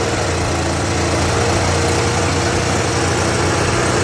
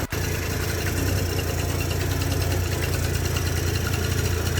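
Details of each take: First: Yamaha Jog 50cc two-stroke scooter after the spark plug was refitted, no fuel filter fitted yet: starts and buzzes fast and steady with no dip or hunt, idling too high though carburetor reportedly untouched. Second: Yamaha Jog 50cc two-stroke scooter that would not start, after cleaning gunk from the fuel pump and turning the idle screw outward to lower rpm: steady, even low idle without stalling or surging. Running properly.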